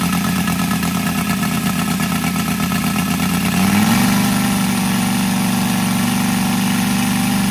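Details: Brand-new Saito FG-73 R5 five-cylinder radial, fully upgraded with Morris Mini Motors hardware and exhaust ring, 32:1 mix, Biela 20x10 four-blade prop, 600–5500 rpm: smooth even drone lifting cleanly to higher pitch and holding without stumbles; healthy.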